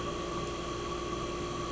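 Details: 1965 Fedders Weather Wheel air conditioner, first cold start of 2023 in a very cold shop: compressor running smooth and very quiet, steady even hum with no knocks, near 59 revolutions per second, building head pressure and already ice cold; normal running.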